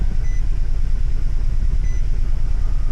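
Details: 2012 Nissan Sentra that won't start cold and runs very lean when it does: steady starter cranking at about three compression beats a second but the engine never fires, with only one injector pulse seen; cold crank no-start.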